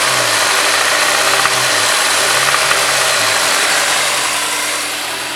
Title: s2000 .. uh oh rod knock